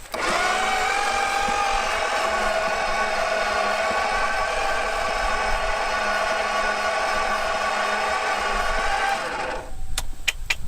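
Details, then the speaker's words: 1970 Plymouth Satellite, first crank in 35 years, testing a swapped starter against compression: sluggish, labored whirring crank for about nine seconds, never catches; starter cranks slow, retried with a different ground, ballast resistor suspected of pulling voltage. "oh that is a potato of a starter wow that's what he said it cranks slow all right let's try it again i got a different ground"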